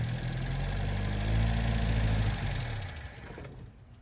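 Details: 1972 Plymouth Cricket (Hillman Avenger) fired up after sitting since 1989, choke on: low, lumpy idle pulsing about four times a second, then it winds down. It runs acceptably, but the carburetor is plugged and it needs new spark plugs.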